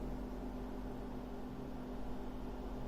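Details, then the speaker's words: AMD RX 7600 graphics card at full load, 98% usage, 181 W, 95–96°C: steady low whooshing fan at about 2600–2700 RPM with faint even hum, audible but not loud; normal fan noise under full load. "you can definitely hear it but still it's not that loud or something and very uncomfortable they stay around 2600 RPM 2700 PM something like that"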